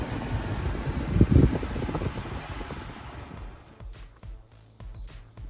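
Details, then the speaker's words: Hyundai ix35 with recirculation engaged: irregular clicking and cracking behind the dash near the passenger glovebox over blower hiss; faulty A/C recirculation servo motor, replaced; no noise when recirculation is off. "vamos fechar a para recirculação interna e o barulho é nítido que vem mais ou menos dessa região aqui ó ó o seu lado direito passageiro próximo aqui é o porta-luvas"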